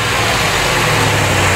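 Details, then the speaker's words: 1990 C4 Corvette V8, timing set by ear, cold-ish (coolant about 130, oil temp 120, oil pressure 70 at idle); steady even idle with smooth low rumble, no knocks or misses, running pretty good. "She's running pretty good for just setting the timing by ear, but I'm going to set it with a light."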